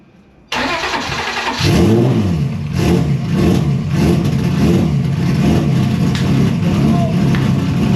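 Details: Engine cranks briefly, catches and settles into a loud, steady run with throttle blips after fuel pump turned on, following replacement of an intake manifold that exploded when power was switched on; sounds healthy.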